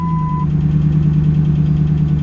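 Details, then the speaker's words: Ram Hemi truck with 38,889 miles, bought at auction, cold start: rough idle with a knock at first start, then a faint quick repetitive tap; owner hears knock then slight lifter tap, worries about dropped valves. "did you hear that knock did you hear that knock when I first started man like she she had a knock and now there's a slight lifter tap"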